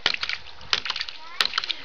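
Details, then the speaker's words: Homemade ram pump built from common pipe fittings, 4 ft fall, 15 ft head, 1" drive, 1" pump, 1/2" output, running off-grid on gravity flow: sharp valve knocks about every 0.7 s over splashing water, setup shaking; normal water-hammer cycling. "I just love that it works completely off grid you know just off the water hammer effect"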